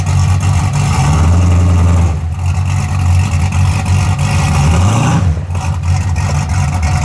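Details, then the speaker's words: 1981 Camaro after a top-end swap, on open headers with no exhaust fitted and timing and carburettor not yet adjusted: a deep, steady idle that drops no RPM when put in gear; sounds healthy. "But I ain't got the exhaust on it, it's still open headers. But so far, sounds pretty good."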